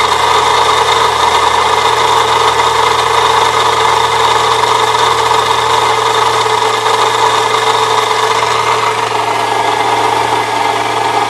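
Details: 1998 Saturn SL2 idling with a constant harsh scraping grinding from the belt area; still present with a shorter belt bypassing the A/C compressor, so the water pump is suspected next.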